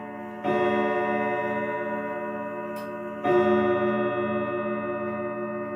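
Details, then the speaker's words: 1940s Manufrance box clock with a Girod movement and long pendulum, sounding its Saint Etienne chimes: two long ringing rod strikes about three seconds apart, sounding flat and sour; some chime rods are flat and the strike is out of tune. "Uh but I'm warning you that this is not the best sounding example out there. Uh it sounds a little flat and the strike is a little out of tune."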